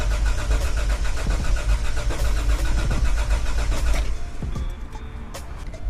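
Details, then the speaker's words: Toyota 4Runner first start attempt with starting fluid in the throttle body to rule out fuel: a steady starter grind for about four seconds, never firing; no spark at the head, failed coil. "All right, so I checked to see if it had spark. I didn't see a spark on the head."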